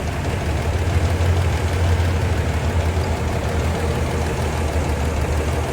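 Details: Toyota FJ40 engine idling: deep steady idle with an uneven, stumbling pulse underneath; misfire traced to a faulty distributor, diagnosed with scan tool before distributor restoration and repair.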